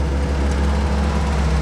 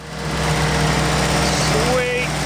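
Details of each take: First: Barn-find early 1942 WWII Ford jeep, ignition hot-wired to the battery, carburettor float stuck and flooding fuel: its first start settles into a deep, steady, even idle with no misses or knocks. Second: 1942 Ford WW2 jeep barn find, first start after long sitting, ignition hot-wired to battery: steady low idle with slight wobble, but flooding because the carburettor float needle is stuck, dumping fuel into the overflow.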